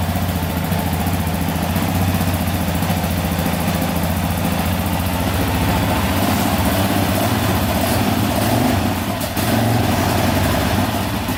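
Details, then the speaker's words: Stock Yamaha Raptor 700 special edition at first start after cleanup: fired right up with no smoke, a steady single-cylinder idle with no misses or knocks. It sounds good, though something slightly rattly was noted. "Alright, let's see if this battery can crank it over here. Fired right up, baby. No smoke yet. That's good."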